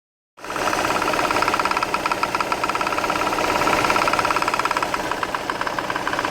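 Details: VW Tiguan petrol engine at idle with a sharp, steady knock at about 3.5 beats per second; the A/C compressor is suspected but not confirmed.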